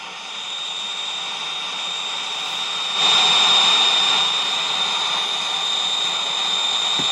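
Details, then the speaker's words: Hallicrafters S-210 receiver after restoration: steady high-pitched whistle over radio static, RF interference from a nearby computer monitor being switched on. "You hear the interference? Wasn't there before? Now, this monitor just being on, I had a wicked squeal."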